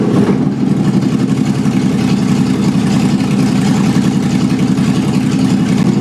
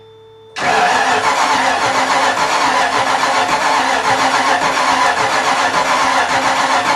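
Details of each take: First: Mazda Miata with swapped 5.0 V8, first start: loud, deep, even open-pipe rumble holding steady with no knocks or misses; healthy running. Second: Miata with a 5.0 V8 swap, first start: the starter cranks with an uneven, ragged chuffing that never settles into a clean firing rhythm. Ignition timing is off; it started once the distributor was turned the other way.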